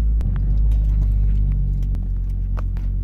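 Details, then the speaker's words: Ford Focus XR5 Turbo (ST225) with a custom 3" intake, accelerating away in first gear: low engine rumble with sharp knocks and rattles over it. The exhaust pipe is hitting the subframe crossmember; the planned fix is spacing the crossmember down. "when I accelerate and take off in first gear it sounds like the exhaust pipe rattling and hitting the survivors trying to focus and hitting the little crossmember piece"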